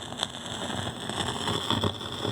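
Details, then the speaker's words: Fisher 400 with fresh output tubes that played for hours then failed: steady high hiss with constant crackling and popping, one side's plate voltage fluctuating instead of a steady ~420 V; bad output transformer. "you're gonna hear what a bad outfit transformer sounds like there it is"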